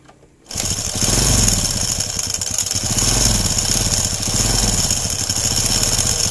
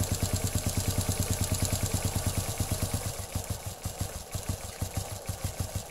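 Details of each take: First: Honda Legenda/Grand/Supra-type small motorcycle idling with a busy metallic clatter over its putter; diagnosed slack timing chain, worn large timing chain roller and worn small roller behind the magneto, all to be replaced. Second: Honda Legenda/Grand/Supra-type motorcycle engine after replacing the worn timing chain and the large and small timing chain rollers: smooth, even idle ticking about three pulses a second, no rattle; the earlier rough, noisy sound is gone.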